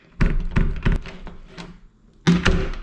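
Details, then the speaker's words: Door that wouldn't latch, after moving the strike plate and adjusting its hole: a few dull thumps, then one solid thunk with a crisp click as the door shuts; the latch now catches and holds. "So moving the strike plate and adjusting that hole is what ended up doing the fix."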